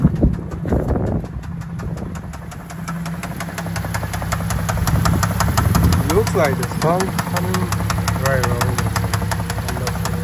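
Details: Cadillac CTS 3.6L V6: fast light ticking about four per second over a steady idle, following engine speed; suspected lifter/camshaft problem needing replacement, unconfirmed.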